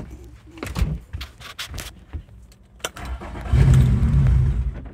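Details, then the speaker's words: Yamaha F115 outboard, run dry at end of last summer, fuel primed by squeeze bulb: clicks then about a second of low churning cranking that never catches; crank no start, owner suspects fuel not reaching the engine. "oh dirty rat something with the fuel not getting to the engine"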